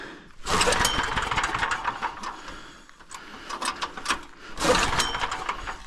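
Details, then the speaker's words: Small pull-start generator: repeated pulls, each giving a few ragged firing bursts that die away before catching, pull start faulty; owner suspects carburetor; hard starting. "Yeah, it doesn't even want to go. The pull start is [ __ ] up. Maybe it's a uh carburetor."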